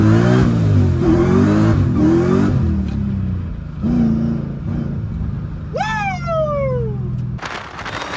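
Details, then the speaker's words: Nissan 350Z with a Hellcat supercharged V8 swap, on the street: deep V8 pulls strongly through the revs, then a whistling supercharger whine sweeps down as the throttle lifts; a healthy supercharged V8 under acceleration. "cela sonne toujours pareil qu'un 350 Z ne sonne pas comme un B8 et je pense que vous vous trompez bien sûr nous ne pouvons pas laisser de côté le son incroyable que le compresseur génère"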